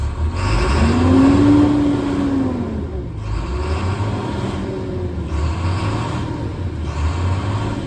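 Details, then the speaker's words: 2012 International PB105 short school bus, about 167,125 miles; engine starts right up, check engine light blinks then goes out, normal for 2012s; revs rise and fall cleanly with no knocks, rattles or misfires; healthy engine. "The bus starts right up. You'll see the check engine light illuminate, and then it will go out. It's just standard for these 2012s. They blink for a little bit and then they will go out. But you can hear the engine sounds healthy."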